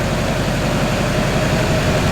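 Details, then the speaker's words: Wrecked Duramax diesel swapped into a K20, cranking during a reset attempt: steady low churning with even starter pulses, never fires. Crank no start; crew suspects an air leak, fuel system probably not primed. "try number 14 000. that means we've got an air some air leak somewhere yeah we weren't probably"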